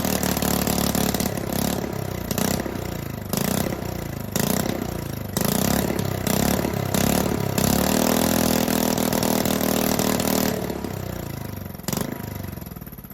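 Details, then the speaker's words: Honda 5.5 hp single-cylinder engine left in the weather nearly 3 years, rebuilt with new carburetor, coil, plug and fuel line, leaking oil: beat stumbles and surges with pops and dips; rough running, carburetor still not fixed. "all right so it was completely dark I can't get it to run any better"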